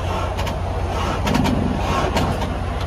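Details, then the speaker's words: Reefer trailer refrigeration unit with dead battery cranked before jump-start; labored, uneven churning that never catches, starter would not pick up; weak crank from dead battery. "well it tried so the battery is just dead but anyways yeah i had to kick that off real quick let it charge for a minute the starter was not going to pick up"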